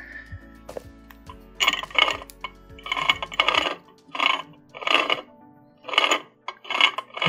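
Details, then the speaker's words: Wolverine skid steer mower attachment's right-angle gearbox, rebuilt after running without oil, with new bearings and deburred gears, turned by hand before the oil seals go in: light even metallic clinking, normal gear mesh, turns smoothly. "pretty nice all that noise is coming from the gears but feels pretty smooth"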